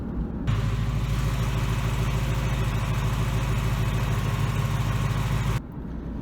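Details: 2018 Mustang GT 5.0 Gen3 Coyote V8 after adding Power Up friction reducer: steady, even low idle rumble with no audible typewriter/BBQ valvetrain tick; normal idle.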